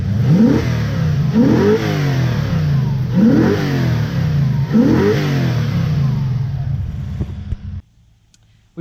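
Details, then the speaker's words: Lexus 1UZ-FE V8 swapped into a 2WD Toyota Hilux ute, after repair: repeated throttle blips rise cleanly and drop smoothly with no misfire; before, it was jerky and rattly with ignition timing out by 30 degrees (40° BTDC). "we got so that was pretty crappy now it sounds like this"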